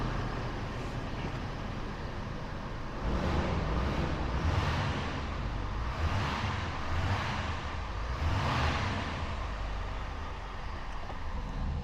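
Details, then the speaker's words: Ford 6.7 Power Stroke high-output diesel just started after an oil change with a pre-filled filter: low, steady idle while oil primes, no ticking or knocks. "Sounds good, no ticking or nothing. That's priming everything up."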